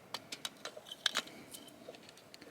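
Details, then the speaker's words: Premier1 Electronet goat netting powered by a solar Cyclops DC 5 joule fence charger, just reconnected hot and ground leads: sharp, dry ticks roughly every fifth of a second over a quiet room, charger pulsing normally and energizing the line. "take your ground and then again these go to the solar panel you can already hear it popping it's back on"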